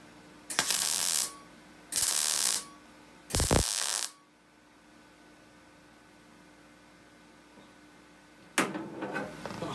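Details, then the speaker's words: MIG welding the rear wing panel of a rusty MGB GT: three short bursts of harsh, uneven crackle and spitting. The welder suspects paint or contamination inside the panel. "Spacey sound you can hear it is probably a little bit of paint inside the panel just like I couldn't even me a little bit of thin something mucky there"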